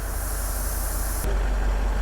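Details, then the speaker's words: Facelift Range Rover bought as non-running, engine started to raise the air suspension off too-low lift arms: steady low engine rumble with hiss that cuts off partway; air suspension hissing while raising, suspension problems present. "I'm wondering if I just turn it on if there's just enough it can build just enough pressure to to lift itself enough I just need it to do it enough yes that's come on a little bit more little bit more no can you hear it hissing yes yes yes yes"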